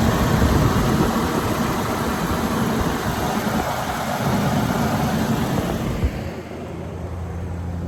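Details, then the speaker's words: 1984 GMC Sierra Classic just started: steady, even idle with a smooth low rumble, no ticking or misfire, settling quieter near the end; 60 psi oil pressure, slightly rich, normal idle. "I mean, that thing sounds really good. I mean, right? Listen to it. Just purring."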